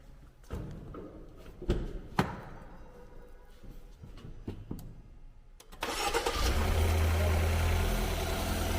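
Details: Car with dead battery, after jump start: a few quiet clicks and knocks, then catches and settles into a steady even idle; normal start.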